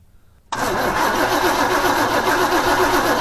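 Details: 1980 Chevrolet C10 small-block after fitting a cheap replacement carb, fuel line off to check for spurting: steady starter churning at about four turns a second, never catching; no fuel getting through, and the fuel pump was then replaced.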